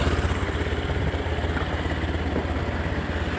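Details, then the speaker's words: Honda Scoopy scooter that would not start on the starter or kick, reportedly seldom warmed up and sat about a week; started by spinning the engine with a drill via the fan, ignition on. Steady quick single putters, no misses, idling normally. "Coba kita tes. Bismillahirrahmanirrahim. Eh, hidup terus motor hidup kembali."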